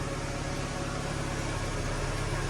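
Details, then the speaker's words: Mk3 Volkswagen Golf in neutral right after an oil change, oil light flashed briefly then went out: steady even low rumble, no knocks, misses or ticking; smoother normal idle. "It sounds a lot smoother. It definitely sounds a lot smoother."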